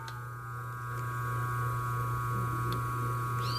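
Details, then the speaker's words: 127 V motor on an oversized 50 µF/250 V run capacitor: a louder, steady low hum with a constant buzzing overtone. Current rises to 4.6–4.7 A with about 4 A in the auxiliary winding, which would quickly burn the motor. "Pode ver que o barulho dele já aumentou."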